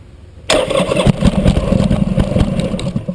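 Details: Buell motorcycle, with a humming noise noted earlier: the starter churns the engine over in quick, uneven pulses for a few seconds but it never catches, and the battery runs down; cranks, no start.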